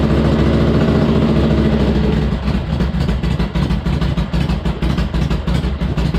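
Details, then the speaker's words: Harley-Davidson Ironhead after pushrod adjustment and primary drain, started cold after a few kicks: brief higher rev then steady even lumpy potato-potato idle with no ticking or knocks; normal idle. "took a few kicks, but she was cold. She sounds good."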